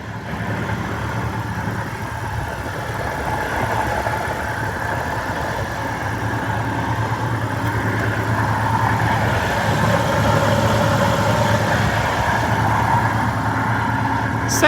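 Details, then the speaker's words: 1996 Jeep Grand Cherokee Limited 4x4, 4.0 six-cylinder, automatic, 155,541 miles, apparently newer engine: steady idle with low faint growl; bearing noise suspected, water pump or idler bearing, unconfirmed. "like it's got a bearing going in the water pump it's got a little growl to it could be water pump bearing could be an idler bearing"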